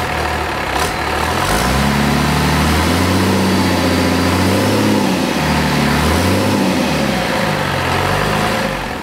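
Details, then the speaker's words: Cummins diesel junkyard engine after first run, injectors had been stuck from sitting, timing plug missing, oil and fuel leaks: fires and runs with steady clatter through throttle blips, no misses; running on all six. "sounded pretty good it was running on all six yeah fired smoke cleaned up after about a nanc"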